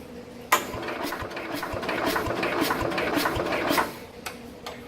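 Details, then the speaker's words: 1969 Bolens 850 tractor, Wisconsin S8D engine unrun 3+ years, rusty plug, battery charger connected: sluggish, uneven cranking under two turns a second with odd huffing puffs from the exhaust, no firing; slow cranking. "Jeez, even with the battery charger on it, it's turning over kind of slow. But hear the weird like huffing and puffing sounds out of the exhaust there."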